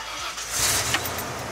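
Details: Truck with two gas tanks started right after switching to the freshly filled tank following near run-out on the highway: short starter whir, engine catches and settles into a steady run; clean, healthy start.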